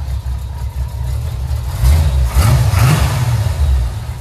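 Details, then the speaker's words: Swapped-in V8 with at least 150,000 miles, probably about half the power of the original: deep rumble rising into a couple of blips and settling, steady firing without knocks or misses; runs good. "we'll fire it up for you let you hear she runs good just not as much power"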